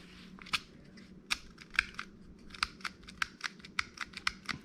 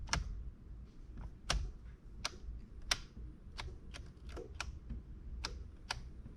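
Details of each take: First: 2010 Chevy Malibu turn signal switch giving uneven sharp plastic clicks and pops when worked left and right, never latching; the worn switch was replaced with a new one. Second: 2010 Chevy Malibu, new turn signal switch after the old one would not stay locked and popped: stalk tested before reassembly gives crisp distinct clicks about every half second, no pops or slipping; switch detenting properly.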